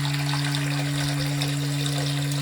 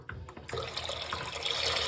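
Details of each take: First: Loud steady low foghorn-like drone from the pipes whenever any hot or cold tap runs on a combi system, cutting off dead when flow stops; kitchen sink tap also dripping, traced to its worn washer. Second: Soft steady hiss of running water with no drone or clunking after the dripping kitchen sink tap is isolated; the foghorn pipe hum traced to that tap has vanished.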